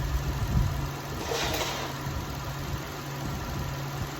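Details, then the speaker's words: 2004 Toyota Sienna 3.3 V6, 23,000 on odometer, after timing belt and water pump job, no coolant, alternator belt off: quiet smooth idle, steady low hum, no knocks or ticks, brief background rush; no leaks seen, normal idle. "there's no whole leaks that I can see yeah it's going sound it sound really good"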